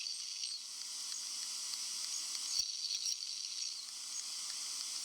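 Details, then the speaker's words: 15-inch Retina MacBook Pro under heavy load before the fans kick in: steady faint high-pitched hiss with slight crackle, coil whine, loudest of the devices tested. "the hissing noise also known as the coil wine was pretty much present in all devices"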